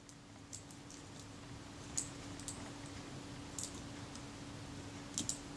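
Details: Kodak Retina Reflex Type 025 shutter during servicing, after solvent cleaning and blow-out: a few crisp, quick mechanical clicks with no drag, so it now runs fine; it was slightly hesitant earlier while solvent remained.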